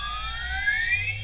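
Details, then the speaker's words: 50 Hz induction motor on a variable-speed drive, stalled at high frequency and then brought back down: high whine glides upward as rotor reactance drops, torque rises, and the motor reaccelerates to synchronous speed minus slip. "That's the reactance in the rotor. It decreases, your torque increases and suddenly the motor accelerates back to synchronous speed"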